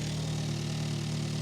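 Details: Hyundai Elantra N just after fuel pump upgrade install, engine cover off to check leaks: steady low hum, even unbroken rhythm, no stumbles; clean settled normal idle.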